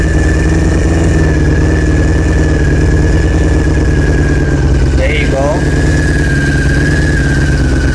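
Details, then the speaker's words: 2000 Honda CBR600 after the leaking carb intake boots were fixed: steady, even idle settling at about 1000 rpm with a smooth low burble and no hunting. The vacuum leak is fixed and throttle response restored; normal idle. "wow look at that perfect so you got bad throttle response check out your vacuum leaks it might be that"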